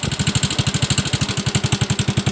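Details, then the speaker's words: Yamaha Mio M3 125 single, worn cylinder bore after late oil changes: coarse rough idle pulses about eleven a second, noisy engine, hard starting; thin blue smoke, heavier at high revs, pointing to the cylinder block. "Jadi saat dia digas putar tinggi, dia langsung ngebul ya asapnya ya. Berarti dia kena di bagian bloknya ya."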